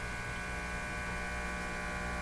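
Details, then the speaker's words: Philco 49-501 Boomerang tube radio, circa 1949, powered up slowly at about 60 volts: loud constant low buzz, no program audio; mains hum from a failed filter capacitor, to be replaced. "okay so we don't have to listen to much more than that okay so what that proved to me is the uh filter capacitor is shot surprise surprise surprise"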